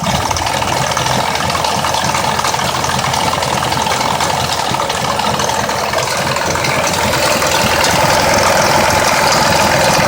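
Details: 2004 Mazda 6s 3.0L V6, 170k miles, new plugs and coils, pre-cats just replaced after being nearly fully clogged: rough idle with busy ticking and rattle about three per second; owner suspects the bank 2 VVT solenoid needing replacement, unconfirmed.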